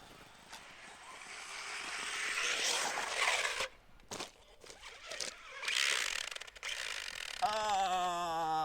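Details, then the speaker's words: Traxxas Slash 4x4 with new Castle 1412 3200kv sensored brushless motor and Copperhead 10 ESC at full throttle on first test in snowy parking lot: rough, scratchy grinding with rising motor whine; owner suspects pinion or gear mesh. "You guys, I'm sure, could hear that that grinding noise. Something was grinding there. That's never good. Pinion probably."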